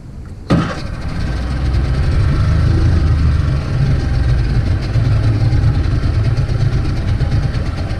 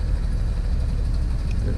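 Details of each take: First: 50hp Mercury outboard on a pontoon boat that had been idling rough and stalling, heard after the fix: it starts sharply and settles into a steady, even idle of about 900 rpm, considered good. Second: 50 hp Mercury outboard on a pontoon boat: idle drops too low, sounding slow and labored, and nearly stalls after starting fine at about 900 rpm.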